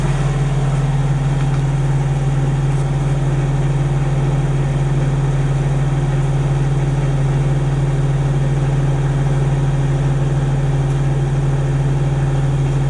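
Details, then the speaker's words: Denyo DCA-15SS-N diesel genset, 1.6 L 3-cylinder Nissan diesel (18 PS at 1500 rpm), over 30 years old, owned since the mid-80s, idling warm after its first start in years: steady smooth low drone, even beat, no knocks or misses; normal idle. "I guess it's running perfectly that's a really really real reliable little machine we have this thing since the mid-80s and it never lets us down"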